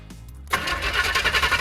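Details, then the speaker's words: 408 small-block Chevy, mixed new and old parts, on its first start attempt: the starter spins it at an even, rapid rhythm but it never fires; blamed on a bad fuel line and a missed MSD 6AL box. "That's not silent. It's just not going to fire."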